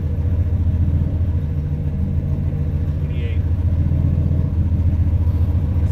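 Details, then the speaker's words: 1998 Lincoln Mark VIII, fully forged 4.6L 32-valve four-cam Ford V8 with a new turbo, at first fire with no coolant: deep, even burble with a steady lope and no misses or knocks, 90 psi oil pressure; a normal idle. "she's making 90 PSI of oil pressure yes that's something it's a hell of a lot more than seven we will take it"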